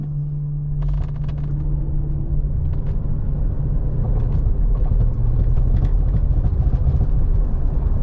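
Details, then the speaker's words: 1996 Mercedes SL500 R129 pulling away from a dead stop at about 1,000–1,500 rpm, windows up: deep uneven thump-thump under the cabin from a failed driveshaft center support bearing. "when we start to go about 1,00 to 1500 RPMs you're going to start hearing a Thump Thump Thump that's what we need to diagnose and then we need to fix"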